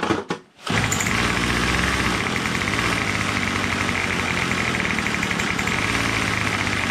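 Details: Troy-Bilt TB22 two-stroke weed trimmer with new carburetor, after tightening loose engine-block Torx bolt (suspected compression leak): starts after a short pull, holds a steady buzzy high idle with no misses or surging; runs fine.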